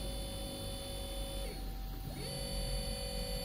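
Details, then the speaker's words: CNC router servo motor on T3D-series driver (HL-T3D-L20A-RABF) during first-time jog test; steady clean electric whine dipping smoothly and climbing back as it slows and reverses, no roughness or vibration at all; normal servo running. "Não tem vibração nenhuma, tá?"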